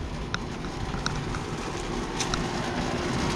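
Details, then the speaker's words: Heat pump outdoor unit at an apartment complex, around 74°F: rough, uneven rattle with scattered sharp clicks over the fan rush; sounds wrong, cause unclear; abnormal running noise. "oh yeah some over here one of those sounds really weird"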